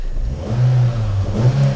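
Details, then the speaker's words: Vauxhall Vectra Club on LPG (starts on petrol), 93,507 miles, new flywheel fitted: short, even rev rising and falling smoothly with a steady low hum and no knocks or rattles; engine sounds fine, with a light clutch. "the engine sounds fine the clutch is good nice light clutch just perfect"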